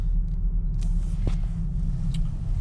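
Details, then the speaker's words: Toyota Avensis 1.8 VVT-i on a test drive running on petrol after a leaking canister was replaced; steady low rumble with road noise and no rev hunting, much quieter than before. "jedziemy na razie wszystko okej nie ma falowania auto o wiele ciszej chodzi także postępy są"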